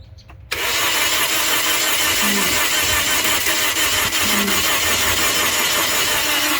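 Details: 2009 Toyota Corolla that died on the highway as the temperature gauge rose; the alternator was replaced and a battery swapped, but it still won't start. The starter churns steadily for several seconds with no firing.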